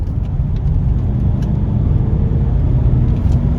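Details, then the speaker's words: Range Rover L322 TDV8 diesel, after fuel injector cleaning for rough idle, driving in sport mode: deep, smooth V8 rumble pulling steadily under acceleration, no knocks, rattles or misfires; engine healthy. "Sounds so nice. It's almost as nice as the sound as the electric vehicles produce."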